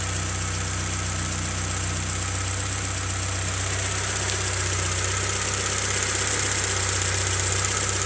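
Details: Honda CRX at idle: an even, fairly quick knock over the engine note. The owner asks whether it is rod knock; a lower-end knock is suspected but not confirmed.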